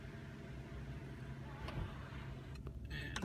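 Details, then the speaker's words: 2006 Audi A8 idling while the sunroof wind deflector (air dam) motor adjusts position, giving short harsh grinding bursts from the roof; the deflector motor gears are grinding. "so as you accelerate and decelerate and the air dam attempts to adjust its position it'll make that horrible grinding noise"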